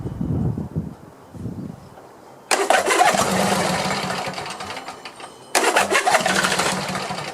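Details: Craftsman YT4000 lawn tractor, after sitting in a barn for years, catches right away on each restart and runs smoothly with no misfire. A little knock is heard at one start, and it needs only a cleanup and maybe a carburetor clean.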